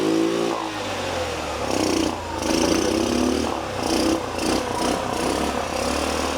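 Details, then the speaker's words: Old scooter on Maui being revived from dead: after tapping the carburetor needle and seat to stop a gas leak, a quick spark start makes the small two-stroke buzz catch and run with uneven throttle blips. Lights work, but the starter button still doesn't work. "I still want to get this starter button to work for sure, but nice to see it running."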